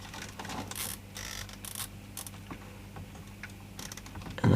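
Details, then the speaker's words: 1980s Sanyo MWS400F mini boombox cassette drive: motor hum with irregular crunchy clicks from the take-up reel's small intermediate gear not engaging well; runs fine without that gear; belt possibly not pulling well enough. "that sounds a bit crunchy even I don't know if I take that gear off see it's running fine a little loose in there similarly but no crunchiness as soon as I let this one across"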